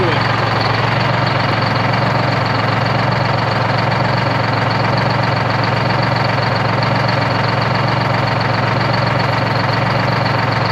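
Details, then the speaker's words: 1973 Peterbilt 352 cabover, 12V71 Detroit two-stroke diesel V12, first run since 1984, warm idle: loud, steady hum with even beat, no misses or knocks; sounds healthy, though one bank seems to do more work. "so what an absolute ripper just freaking humming boys"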